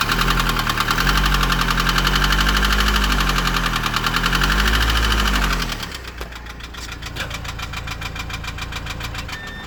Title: Laguna 2.0 DCI knocking sound